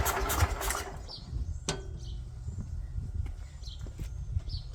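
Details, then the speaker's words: 36-year-old Toro Wheel Horse 416-8 garden tractor, coil just refitted the right way, fires briefly then dies to a rough, uneven sputter; leaking fuel line stops fuel reaching the carburetor, so it can't stay running. Fuel starvation. "All right, got a leaking fuel line here, so it's not pulling fuel all the way through the carburetor. Get that fixed and see if it'll stay running."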